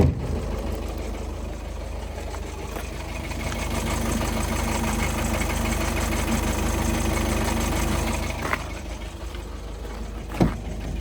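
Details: VW Golf 7 2.0 automatic at steady idle: loose, uneven knocking at roughly three per second under the engine note; flywheel suspected, not confirmed.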